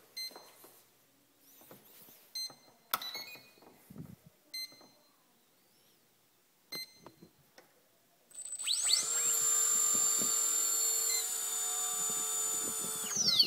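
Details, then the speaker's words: Quadcopter motor on a KKmulticopter board with Turnigy Plush 12A ESC, motor 3 moved to the motor 4 slot: after handling clicks it spools up to a clean steady high whine; the motor runs normally. "see that motor 3 works fine in the motor 4 slot position"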